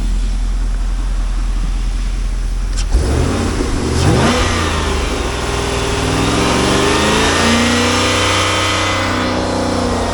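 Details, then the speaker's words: 2005 Chevrolet Corvette LS2 6.0L V8, automatic, 93,059 miles, Corsa exhaust and Corsa air intake, test before part-out: quiet until the V8 fires up, then blips climb and fall smoothly over a deep burbling idle, no knocks; sounds healthy. "Corsa exhaust. Let's see what she sounds like."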